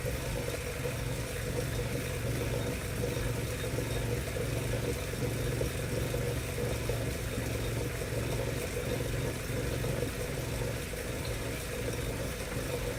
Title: Wahoo Kickr Making a Strange Noise